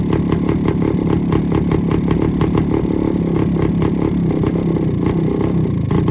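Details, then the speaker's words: 1972 Suzuki TS185 two-stroke, first start in 30 years with a new carb and a 1971 CDI unit fitted, off choke: crackly, fast, uneven idle around 3,000 RPM because the carb hasn't been adjusted yet. "it'll run but I haven't adjusted the carb at all so it's running kind of crazy it's idling at like 3,000 RPM"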